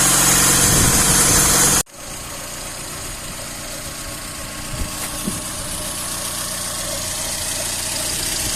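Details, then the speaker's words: VAZ classic 1.5 with rebuilt Solex 21083 carburetor, warming up after cold frosty start: after loud start, steady even idle about four beats a second; runs smoothly, drives well, no flat spots. "Ось так працює Я на ньому проїхався їде прекрасно міжкамерних провалів Ніяких немає"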